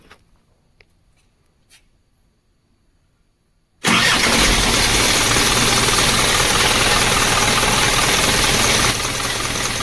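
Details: Isuzu diesel engine after repair of the stop motor fuse fault, with current restored on the blue-white stop motor wire. The engine catches at once and settles into a steady, even diesel idle with no knocks or misses.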